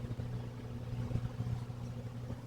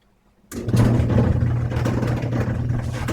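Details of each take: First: Electric clothes dryer that had started making noise, after disassembly, cleaning and reassembly with no new parts needed: steady, even low drum rumble with no scraping, ticking or grinding; runs normally as it should. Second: Electric clothes dryer that started making noise, before repair with a roller kit, belt and idler pulley: a low, uneven rumbling hum and irregular rattling throughout the run; the fault source is not identified.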